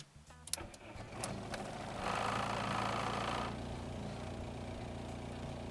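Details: Golf MK3 GL (German) after fixing the acceleration cut-out fault where held part-throttle would accelerate then cut: short crank, catches cleanly, slightly raised idle, then settles to a smooth, even idle; normal start.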